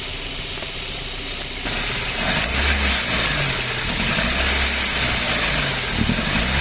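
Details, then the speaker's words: Four-cylinder car at idle with one fuel injector unplugged, running on three cylinders: uneven loping beat with a stumble every few turns; misfire. "aquí desconectaré uno para que más o menos observe obes Cómo funciona el motor al desconectar un inyector el motor únicamente funcionará con tres cilindros Por ende funcionará de esta"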